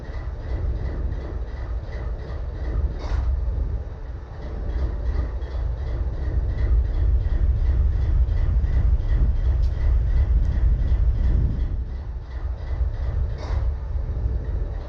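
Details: BNSF 4583 locomotive diesel idling: heavy low rumble with an uneven, lumpy beat and occasional dips in loudness, misfire at idle.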